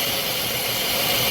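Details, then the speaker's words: 3.6 L engine idling higher than normal (normal about 700–800 rpm), check engine light on with P0507; loud constant airy hiss over the idle that changes when hoses are moved; vacuum leak from a split PCV valve hose. "when I move these hes the noise change right there [Music] uh-oh that's it all right ladies and gentlemen that is why this 3.6 L is idling higher than normal I have a vacuum leak right there at the PCB valve hose"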